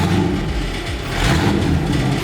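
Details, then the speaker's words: 1965 Ford Mustang, old V8 at a lumpy cold warm-up idle: light metallic rattle that quiets as the engine warms. Owner says it goes away when warm; cause unknown. "you can hear it already it's getting quieter still a little bit of rattling"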